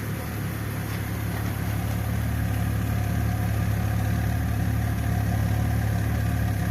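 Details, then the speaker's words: BMW E46 325i Touring 2.5 six-cylinder, earlier misfiring on cylinders 4–6, RPM dips just off idle; owner suspects the exhaust cam sensor (fault stored). Recorded at the tailpipe while warming up: low idle drone with occasional uneven puffs, hunting; intermittent misfire. "There's a misfiring every now and then. Yes. Sounds like it hunts a bit."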